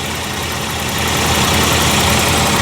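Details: 1994 Jaguar XJ6 after replacing the failed igniter with a GM Vortec ignition control module: steady idle under a loud hiss, no stumble or misfire; runs evenly, crank no-start fixed.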